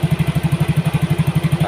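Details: Yamaha Mio GT injected scooter after injector replacement and CO trim cut from 15% to 7%; mixture balance right, O2 sensor 0.49 V, idle control 19.0. Steady, even idle thump with no misses or stumbles; normal idle.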